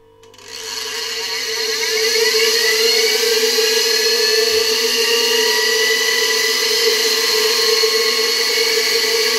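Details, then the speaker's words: Hungarian Imi motor, tested on a regulator at reduced voltage: the motor spins up with a rising whine, then holds a steady, even hum with no rattle or scraping; it runs healthy. "powolutku bardzo ładnie się obraca silniki"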